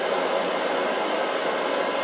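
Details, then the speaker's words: Grizzly G0752 lathe test run, spindle in forward with the dial being turned toward 150 rpm: an even, smooth hum with a faint steady high whine and no knocks or grinding, a normal spindle run. "Turn this to forward. Then it says turn the spindle speed dial until the spindle display shows 150. It's spinning."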